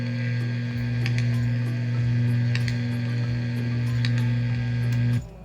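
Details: DOD FX7 guitar pedal on a replacement unregulated transformer power supply, humming on overdrive; regulated supply planned. Steady, loud low hum with a buzzy edge that stops abruptly: mains hum from the unregulated power supply.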